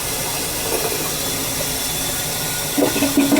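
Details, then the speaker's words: Badly blocked toilet: the flush rushes and hisses, then breaks into uneven bubbling gurgles. Something is stuck in the drain, the snake won't get through, and the toilet must be pulled. "We'll try. I hear how it's gurgling and [ __ ] We have to pull the toilet."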